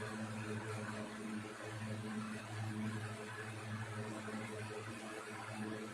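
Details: 1960s 16-inch Toastmaster box fan started up after storage since late 2022: soft steady whir, low even hum and gentle airflow rush, no wobble or rattle; runs good, owner says it needs cleaning and probably servicing.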